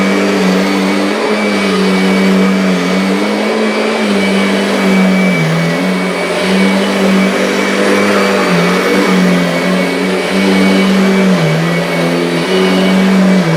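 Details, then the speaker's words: Kirby vacuum with worn drive belt, running in neutral: loud steady motor roar whose hum sags and wavers every few seconds as it bogs; belt slipping under load, belt light flickering; owner plans a new belt. "can hear it's starting to struggle, and the belt light is flickering."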